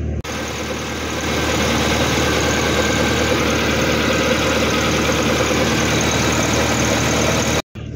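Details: Proton Saga BLM idling right after replacing all spark plugs: steady, even idle with smooth low hum, no misses or knocks; engine running cleanly.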